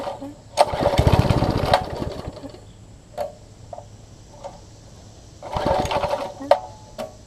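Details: Troy-Bilt Tuffy rear-tine tiller with new carburettor diaphragm, exhaust and intake tube refitted (tube not exact fit): catches in short sputtering bursts then dies between pulls; diaphragm possibly seated wrong.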